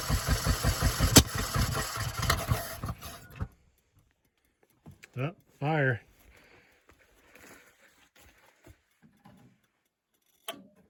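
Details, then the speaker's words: 1975 Ford F250 FE 390 cold start after 30 years with mismatched spark plugs: catches and runs unevenly about three seconds then stops; owner suspects wrong timing or firing order, possibly flooding — rough running. "Mhm. timing wrong. That's what it kind of sounds like. Let me check my firing order."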